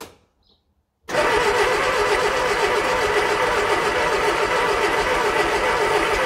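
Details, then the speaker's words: 1968 Bedford CA ice cream van petrol engine, long-stored, first start attempt: steady cranking at about four turns a second with occasional irregular pops back; trying to catch but not yet starting, distributor timing to be advanced. "it's starting to pop back so we're getting somewhere"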